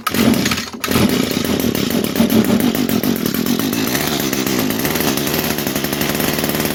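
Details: 22-year-old Echo trimmer, sat for years, primed with two-stroke fuel, at full choke and full throttle: screams but the note wavers and surges unevenly; carb not giving enough fuel, lean running, though compression is good.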